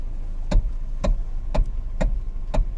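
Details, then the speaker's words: 2013 Hyundai Elantra with sharp clicks about twice a second while turning the wheel. A mechanic blamed the rack and pinion, but the cause was a worn coupler inside the steering wheel, replaced cheaply. "that clicking noise when i when i when we turn on the steering wheel"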